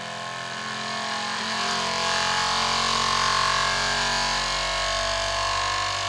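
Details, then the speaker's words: Elegoo Centauri Carbon 3D printer, new, first-time setup, mic placed close up: input shaping vibration calibration, loud steady buzz of held tones with strong hum near 1 kHz; the noisy but normal part, louder than owner's Bambu X1C. "Now this part after it calibrate bra it calibrated the uh vibration. So that was the noisy part."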